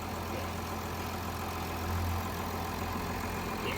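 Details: 2021 Range Rover Sport HSE D300 Ingenium diesel, bought as a non-runner with an electrical fault and starting on a jump pack: steady, even diesel clatter at idle with a smooth low drone and no knocks or misses. The engine sounds healthy.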